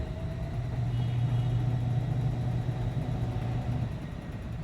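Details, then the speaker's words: Newly repaired TCL washing machine on a test spin about four minutes in, speeding up progressively: a low steady drone with a faint hum that holds evenly then eases off, with no banging or grinding. Spin cycle runs normally. "yan mga kawiks, no, hanggang sa pabilis na ng pabilis yan."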